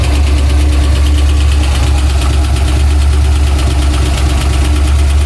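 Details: Pontiac Trans Am V8 idling heavy and loud with an uneven dull knock about three beats a second; a tick first thought to be exhaust turned deeper, heard all around the engine, oil pressure erratic; owner suspects the crank.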